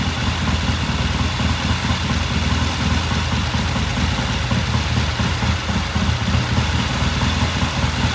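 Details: 1969 Triumph TR6 vintage British motorcycle, pilot jet cleaned and pilot air screw turned in half a turn for a richer starting circuit; warmed up after a cold start, a steady even idle with a smooth low beat, no misses, knocks or hunting: normal warm idle.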